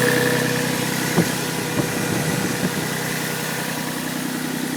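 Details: Toyota 1G-GE (Yamaha head) inline-six on a cold start: steady idle with a few sharp irregular knocks over the running note; cold-start knock, cause not confirmed.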